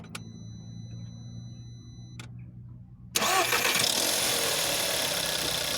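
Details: A VW Jetta 6 1.4 TSI CAXA at 125,000 km, cold start: quiet clicks, then the engine catches with a harsh metallic clatter over the rising start noise. Worse after sitting over 3 days and gone when warm; timing chain suspected but tested not stretched; source undetermined.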